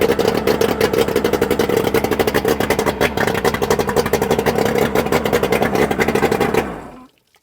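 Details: Johnson 130 (Evinrude Looper) outboard, first start after rebuild with new pistons: a fast, popping two-stroke beat runs about seven seconds, slightly uneven, then cuts out cleanly. It fires and runs normally.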